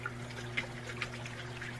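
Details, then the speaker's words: Kenmore top-load washer agitating: steady low motor hum under sloshing water, even strokes without knocking or slipping; motor, coupler, transmission and agitator dogs working, normal agitation. "good agitation so the motor is working good the couplers working transmissions working the little plastic dogs down in here are working so a good healthy machine"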